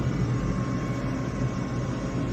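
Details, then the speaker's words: Gas furnace on a call for heat, with the blower off and the draft inducer motor running: a steady low hum with no rattle or wobble, normal inducer operation before the pressure switch closes. "Blower is off. Vent motor inducer motor is on."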